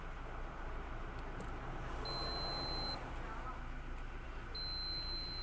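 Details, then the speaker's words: Vacuum cleaner that would not switch on, cable rewind reel repair: loose wire pin tightened and refitted, then continuity checked with meter; two clean steady high beeps about a second long over faint room noise; continuity, wire intact. "तो अभी इसकी continuity check कर लेते"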